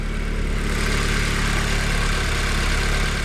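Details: VW Golf GTI Edition 30, just started: a smooth, steady low idle hum with no knocks, misses or rattles, idling normally.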